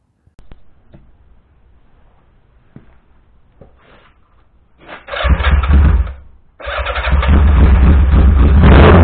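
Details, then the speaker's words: 1982 Yamaha Maxim 550 four-cylinder motorcycle run after sitting all winter with old gas: catches after short crank and runs with uneven, lumpy beat, one cylinder dead; owner plans carburetor refresh. "it's a four-cylinder bike and it didn't quite sound like it was running at all for it you know it sounds like it runs halfway decent"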